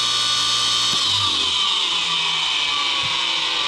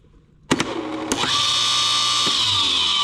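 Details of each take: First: DIY 10 HP rotary phase converter fed 241 V through a 50 A welder plug, start button held long enough: idler spins up cleanly to a steady, even whir, no buzz or growl. Normal start and run. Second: DIY 10 HP rotary phase converter fed at 241 volts: with the start button released too soon the idler motor spins up with a steady hum and harsh buzz, because the start capacitors stay engaged only while the button is held.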